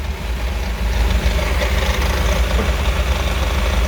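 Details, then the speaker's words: BMW M5 F10 V8 with 92k km, after check-up (spark plugs done, adaptations reset, intercooler washed, oil changed): deep low burble at steady idle, no ticking, misses or hunting; engine sounds healthy and settled, no leaks. "Let's hear the sound a little bit. Looking good, looking good."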